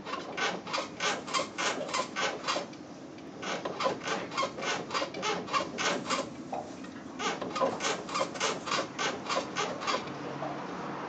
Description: Creaking sound from suspension, 1986 Mazda 323 BF